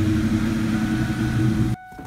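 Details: 2002 Ford Mustang GT after repairing its anti-theft no-start grounding fault with a spliced, waterproofed wire: the engine runs smooth and steady for under two seconds and is shut off, with no misfire or stumble.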